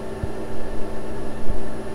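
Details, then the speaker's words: Planar diesel air heater installed in an overland vehicle, set to 84°F with cabin at 77°F, running at full blast: low steady hum, soft fan hiss and faint ticks, relatively quiet. Normal running. "so this is what the heater sounds like running on full blast"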